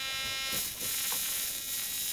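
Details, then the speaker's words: Lidmotor Joulini replica with larger 1:1 coil, floating MPSA06 transistor and 1 m base wire: thin high electrical buzz over faint rotor whir, steady; corona plasma from wire end, running normally. "And that noise you can hear is the plasma coming from the end of this wire."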